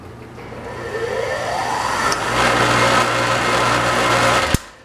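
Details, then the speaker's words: Scrap-saved single-phase motor, no load at half voltage, drawing 24 amps (rated running about 19 A): steady hum running up to speed with sharp snaps near the capacitors; capacitor hookup suspected faulty, possibly more, unconfirmed. "(24 amps) and you hear that snapping from the capacitors down there? That's not a good sign. So clearly something's wrong with the capacitor's hookup, and maybe beyond that, I don't know."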